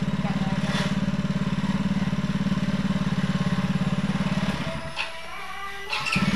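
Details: Yamaha Mio J after replacing the starter motor (old one had chipped armature gear not meshing with starter gear, only clicking): starter spins fast and even, about 3.5 beats a second, then catches cleanly, no clicking.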